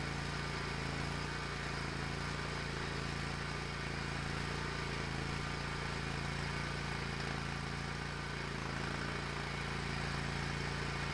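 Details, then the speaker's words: Hustler Raptor SD zero-turn mower after a seat switch fix and battery recharge (it used to die when moved and bog when the mower was engaged); the engine drones steadily with a smooth firing beat and no stumbling or dying, normal running. "okay I got bit a little bit of hubris but that's okay mower is working again"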